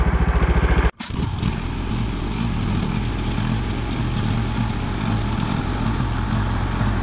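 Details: Allis Chalmers 712H garden tractor tilling after bevel gearbox shaft play and hydrostatic check valve repair: after a brief stop, a steady, low, even drone under load with no knocks or squeals; normal running.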